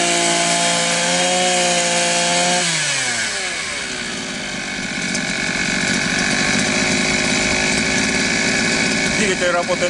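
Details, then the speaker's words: Elmos two-stroke trimmer after cleaning a clogged muffler and exhaust port (carbon buildup caused no power, poor revs): revs high then drops to a clean, steady idle without stumbling or surging; running normally. "в норме. Холостой ход отличный."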